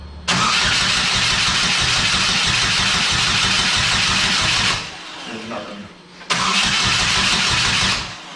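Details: GM Ecotec-swapped Exomotive Exocet at its first start attempt: steady starter churning for about four seconds, a pause, then another short crank that never catches. No fuel is suspected; a fuel pump wire or relay fault is suspected.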